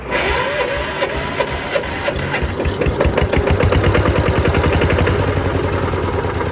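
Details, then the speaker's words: Kubota L13G tractor from the 1962–67 production run (about 60 years old), single-cylinder water-cooled indirect-injection diesel, warm restart without glow-plug preheat on a weak battery: brief crank, catches at once, settles into steady even thump; normal warm start. "แต่ถ้าเกิดเค้าติดแล้วเค้าก็สตาร์ทติดตลอดแล้วครับครันนี้ั้ครั้งต่อไปไม่ต้องเผาหัวนะ"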